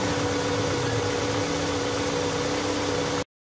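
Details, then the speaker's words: Carbureted car with a DIY temperature-switch idle speed control that raises rpm while the engine is cold, for warm-up without pressing the pedal. The engine holds a steady, even fast idle with a constant hum while the idle-up is active, which is normal. "nah rpm nya naiknya seperti ini kira-kira"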